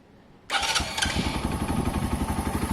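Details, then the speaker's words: Benelli/Keeway 125cc motorcycle after carburettor clean, tune and service: fires instantly on button, steady even idle thump about four beats per second, revving strong; healthy start. "and it's not going to cause any problems at all you can hear that in the engine it's come out really nice it's revving strong"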